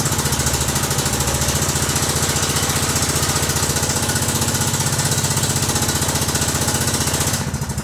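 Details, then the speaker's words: Kohler Command CH16S in Cub Cadet 2166, very cold start (~30 degrees) after rebuild: new head gasket, crank seals, valve stem seals, exhaust gaskets, ignition coil and module; fast even thumping with no knocks, ticks or misses; runs good, normal idle. "all right it runs good let's take it outside and let it warm up"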